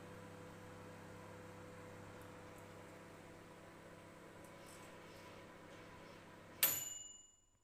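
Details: Balay 3WG-I923XP microwave running: low steady buzzing hum with a faint whine for several seconds, then a sharp click as it stops; unusual running noise, cause unclear.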